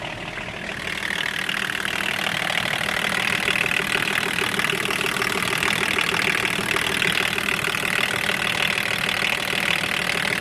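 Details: BMW 524td M21D24 diesel that had loud valvetrain knocking, after full valve adjustment: smooth, even idle with only light injector clatter and no loud knocking; healthy engine.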